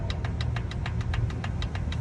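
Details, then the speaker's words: 2023 Hyundai HB20, Kappa 1.0 three-cylinder engine, pistons showing very large clearance. A sharp, even knock six to seven times a second over a rough idle, worse when revved. Piston slap. "Então quando tu aumenta o giro, cria uma rajada muito forte dentro do motor, entendeu? Então esse é recorrente nesses HB20, motor capa 1.0 da Hyundai."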